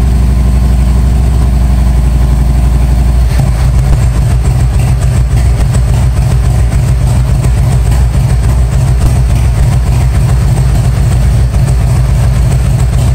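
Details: 1997 Harley-Davidson Road King Evo, first start after top-end and cam chest rebuild: deep, steady V-twin idle with even lopey beat, no knocks or ticks, pressure-washer hiss in background; normal idle.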